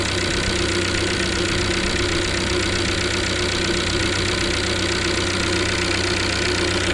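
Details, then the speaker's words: 2014 Chevrolet Onix LTZ 1.4 with 57,000 km, cold start in the morning: steady idle with a fast, light ticking from the top of the engine that stops once warm. Owner suspects lifters or engine, not the canister purge valve; unconfirmed. "quando ele tá gelado liga, ele faz esse barulho batendo bem aqui, ó."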